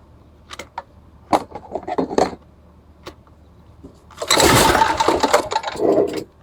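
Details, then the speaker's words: Old Homelite 3500W generator, first start attempt after service: a few scattered pull-cord rasps and a brief cranking rattle that never catches, because the choke was left off. "Oh, I had the choke off. That was the problem. Silly me."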